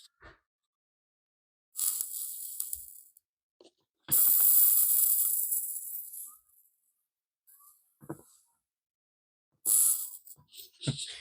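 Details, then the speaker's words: Vintage Pioneer SX434 stereo receiver with distorted audio: short crackling hiss bursts each time a capacitor on the board is touched; a cooked capacitor sizzling, before recapping. "I think that capacitor is cooked."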